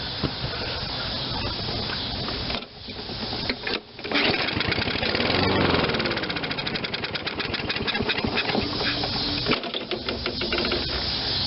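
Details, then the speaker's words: Toro 22-inch Recycler self-propelled mower that sat too long, won't start: catches on a squirt of carb cleaner then sputters, surging and sagging, and dies; spark fine, fuel starvation from water/crud in carburetor bowl suspected. "runs and dies so spark and all the other safeties and all that we can eliminate if it was to get good fuel it will run easy diagnosis"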